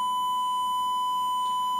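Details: DTech 3300K karaoke amplifier-mixer: 1000 Hz signal-generator tone at low power into the DVD/music input gives a single steady pure high tone with no crackle, hum or flutter. Clean amplifier output.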